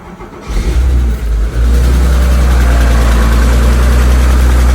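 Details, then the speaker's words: Porsche 911 engine, recently driven about 300 km to a rally and back: rough idle with a steady ticking, constant hot or cold and unchanged by load or revs; owner suspects excessive valve lash on one valve. "I'm pretty sure because it's not making it any different under load or revs or whatever I'm pretty sure I think it is uh actually the valve lash"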